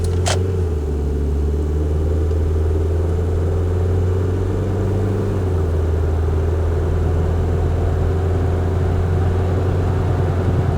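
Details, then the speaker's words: Mazda Protege at freeway speed with forgotten, untightened front wheel lug nuts: steady low droning rumble with coarse front-end undertone, suddenly much worse, minor version heard on lift-off, goes away when braking. "that got drastically worse that noise that that's a a minor version of that is what I would here when I let off the accelerator but it got um got a lot worse all of a sudden"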